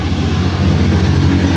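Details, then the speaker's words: Engine at idle with a rapid, loose clatter/knock over the drone from a worn pulley bearing; knock gone after bearing replaced. "Kalampag 'to. Ang lakas ng ingay paggaganito mga kapatid."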